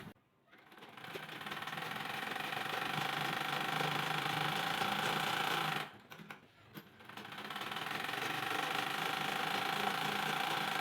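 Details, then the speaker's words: Household sewing machine running normally after the loose part was tightened and refitted: two steady bursts of fast, even clatter at about three and a half stitches a second, the sound it should have. "এই শব্দটা সেলাই মেশিনের এইটাই থাকার মতন।"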